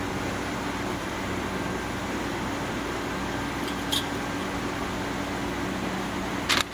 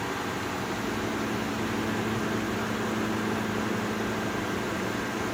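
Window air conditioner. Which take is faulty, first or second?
second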